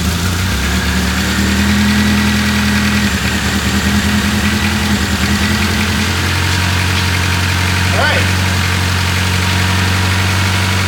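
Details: 2001 Honda Accord, towed in for crank-no-start with no spark; distributor wiring found cut and broken in the loom, spliced back in correct order. Now running: low, lumpy idle with unsteady beat and some shake; rough idle after repair.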